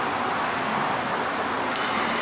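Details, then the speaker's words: Porsche Cayenne V8 air suspension strut under diagnosis. A loud, steady, rhythmless hiss of escaping air as the strut sinks all the way down. The air spring is leaking through its damaged bag and is to be replaced: an air suspension leak. "tem um barulhinho aqui eles faziam não vou descer com ele aqui que surge a credencia a falar ó tá descendo tá descendo já desceu tudo"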